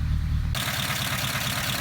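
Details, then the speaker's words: 1953 Pontiac Chieftain during an engine diagnostic, running outside the garage with oil pressure: even, steady low idle with soft pulses and a light tick on top, no misses or knocks. A normal, smooth idle. "Engine is running. You can hear that it's running pretty smoothly."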